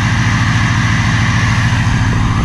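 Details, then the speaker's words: Diesel truck, recently driven so slightly warm, idling in cold rain; steady deep idle with even low chatter, no misses or knocks, louder than a Duramax but quieter than a 7.3 Power Stroke; normal idle. "the engine on these trucks are a little loud not quite as loud as the 7-3 power strips compared to like the Duramax and stuff they are quite a bit louder underneath"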